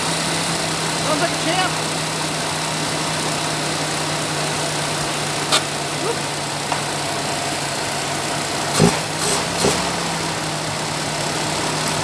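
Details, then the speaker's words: 1989 Chevy S10, 2.5 L Iron Duke four-cylinder, 5-speed, abandoned 22 years, first run, low on fuel; steady, even idle with low constant hum, no misses or knocks; runs good. "champ yuck hey runs good"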